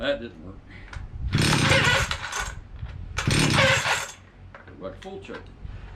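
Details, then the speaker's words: Stihl 031 AV chainsaw from about 1974–76, unused five years, before its carb clean. The two-stroke surges in bursts, then sags and stumbles as it runs out of fuel, and too much choke kills it. Fuel starvation from a carburetor problem. "okay I think it's definitely a carburetor issue because uh the throttle is just on but I was playing with a choke and burying it"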